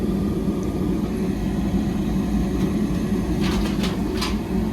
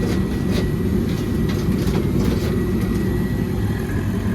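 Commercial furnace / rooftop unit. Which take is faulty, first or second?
second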